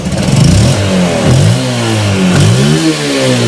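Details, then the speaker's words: Yamaha Spark 135i after engine rebuild (S&A cam, R15 injector, used oversize cylinder in good condition): clean smooth blips, quiet with no knocks; the loud clatter heard before repair is gone, only leftover old smoke in exhaust. "เดี๋ยววิ่งไปสักแป๊บนึงก็คงจะหายเสียงดีมากครับเงียบนิ่มเงียบตอนที่มาคลิปแรกนะครับดังลั่นเลยนะครับนี่เปลี่ยนใหม่แล้วครับ"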